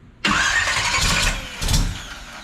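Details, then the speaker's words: Carbureted engine in a Camaro split-bumper conversion build starts roughly, catching abruptly and stumbling with uneven surge and sag, backfiring; no fuel line fitted yet, carburetor sucking air, fuel starvation. "It's because you don't have a fuel line coming up here yet. It's sucking air at the same time."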